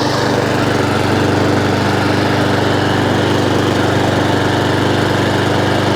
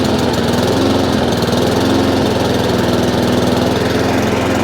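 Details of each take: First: Honda IZY 19-inch petrol lawnmower after carburettor fuel-leak repair and service, revs raised slightly via governor arm after earlier hunting/surging; even, steady beat at constant speed, no hunting or surging, doesn't cut out: normal steady running. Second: Honda IZY lawnmower after carburetor work for a fuel leak, now starting on choke: uneven, wavering beat and doesn't run properly; owner knows it's fuel, so the carburetor needs cleaning again.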